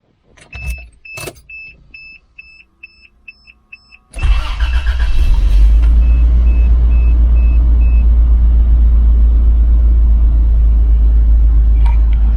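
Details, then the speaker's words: Toyota Land Cruiser first start after cat removal, straight pipes, new O2 sensors and exhaust repair: a few chimes, then it cranks, catches quickly and settles into a steady, even idle with no misses or ticks; no check engine light. "sounds great. And look at this. No check engine light. Very cool. I like the sound of it too."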